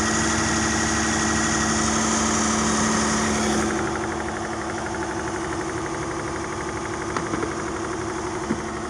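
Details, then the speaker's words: Chrysler 300 engine after a rattling noise fix: smooth, even idle at about four beats a second with no rattle or tapping. "Y'all back with the fix. No more rattling."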